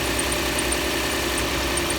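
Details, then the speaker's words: Engine at steady idle in damp weather: high chirping squeak several times a second like a fan belt squeal, earlier slight hammering now gone, injectors ticking; owner suspects a bearing, accessory squeak unconfirmed. "sounds like a fan belt kind of squealing a little bit but it's not a major thing really a little bit of hammer in there but you can hear that squeaking more than anything"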